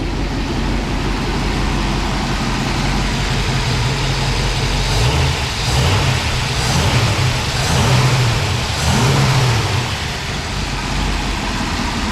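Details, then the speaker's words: Ford Police Interceptor 312 V8 with twin four-barrel Holley carburetors (top-mounted bowls), recorded from the rear: a deep, even burble with a few gentle throttle blips and no misses or knocks. Normal, sweet running. "Just as smooth as anything out there. It's a beautiful piece of old technology."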